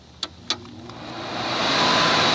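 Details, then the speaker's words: 1978 Kelvinator (Gibson) 7900 BTU window air conditioner, model S208P1QA, Tecumseh compressor: two switch clicks, then a rising, steady loud rush of air; fan noisy on high speed but not on low, cause unknown. "some noise on high, but it ain't that on low."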